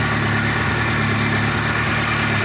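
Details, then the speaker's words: VAZ 2.0-litre engine fully warmed, pressure about 2.5 bar and dropping: steady warm idle with light fast tick over engine note; ticking appears when hot, owner suspects a hydraulic lifter. "он начинает стучать . Вы же это слышите, правда? Оно тикает."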